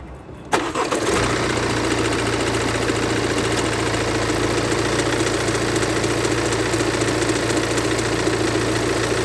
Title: BMW F45 F48 Active Tourer 218d 2.0 Diesel Motor B47C20A 150PS Motorgeräusche Klackern 03